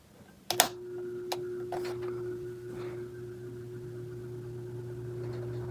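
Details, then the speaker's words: 16-inch Quality Superior pedestal fan, repaired, on low speed: a couple of switch clicks, then a quiet steady low hum with a faint even tone, no grinding or squeak; normal running on low. "it's fairly quiet too like this one actually has an actual low speed which is insane"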